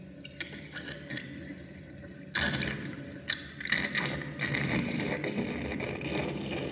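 Water swirls down the drain with loud, uneven gurgles and bubbling bursts, several a second; the drain is gulping air, cause unknown.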